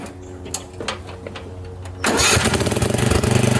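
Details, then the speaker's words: Craftsman riding mower with a Tecumseh engine that leaks oil, mowing wet, thick, tall grass: a few sputters, then a steady, even beat that holds under load. Runs well but uses a lot of fuel. Normal running under load. "oh she's running real good but it uses a lot of fuel"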